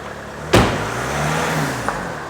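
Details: 2014 Ford Mondeo Mk4 2.0 diesel after replacing the clutch and dual-mass flywheel; old flywheel had rattled. A short rev after a thump rises and settles smoothly with no rattle or chatter; clutch and flywheel healthy.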